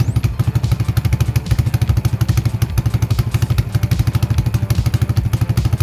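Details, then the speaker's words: Vintage 1980 Yamaha SR250 single-cylinder motorcycle, bike pulled out of a shed and bump-started: regular, steady thump with no skipped beats or metallic knock. It runs healthily and goes through all the gears. "the question of will it run yes it will run it does run it is running"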